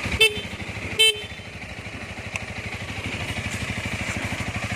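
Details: 2019 Honda Rebel 300 fuel-injected motorcycle, all original, about one year of riding: even, steady firing pulses with a smooth rise in pace, two short horn beeps early; healthy engine, normal running.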